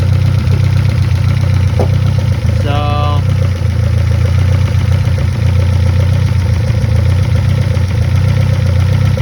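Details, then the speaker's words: 1971 Toyota Celica RA20, 18RG on twin Weber 40 DCOE sidedraft carbs at idle: steady but lumpy uneven beat; sync gauge on the trumpets shows one carb's throats reading much lower, so carbs out of sync, adjusted via balance screw. "So those two look to be the same. Now that one's much lower, and this one is much lower also. So they're not, the carbs aren't synced together."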